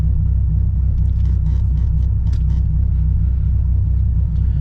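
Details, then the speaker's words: 1997 Dodge Viper GTS V10, warmed above 100 degrees, running rough and smelling of raw fuel before a tune-up: a deep, lumpy idle with an uneven low thump breaking the rhythm as a cylinder drops out; misfire at idle. "and also i mean the motor you could totally tell that he has a misfire"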